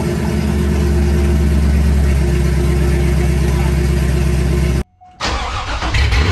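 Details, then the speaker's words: C5 Corvette V8 straight piped with Speed Engineering headers and X-pipe, first start: deep, loud, lumpy burble with steady low rumble, a brief cutout, then a raspy blip; way louder than expected, like a NASCAR. "i don't even know what to say we've created a monster uh it's way louder than i expected there is no way that the camera is picking up any bit of the the noise that this thing creates it sounds like a full-on nascar"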